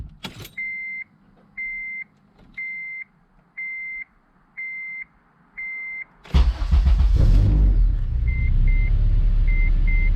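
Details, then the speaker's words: Honda Civic Si (8th gen) after K24A2 swap (TSX intake cam, VTC gear, intake manifold, 310cc injectors), base map, no coolant; chime, cranks, fires at once, settles into even idle; normal start, slight rev hang noted. "I'm pretty happy about that. Started right up."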